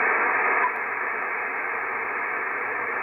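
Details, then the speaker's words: Icom IC-7300, no antenna, audio at maximum, with IP+ and preamp settings changed: even narrow-band hiss drops slightly early, then stays low and steady; noise further down, a quiet normal receiver floor. "okay the noise is now even further down"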